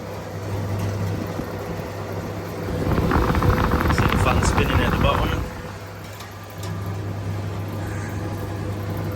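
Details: 1952 Parnell tumble dryer running with heater at zero: low steady motor hum, a brief louder rumble as the drum turns, then an even drone with no scraping. The dryer sounds healthy.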